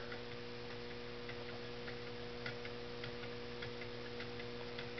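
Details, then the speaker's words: Homemade Stirling engine with visible linkage, running on a cup of boiling water that has cooled a little: light, even ticking from the linkage over a faint hum, running smoothly. "on a good boiling cup of water i think it runs a little over 120 rpm this water has had time to cool a little bit but it's still running pretty good"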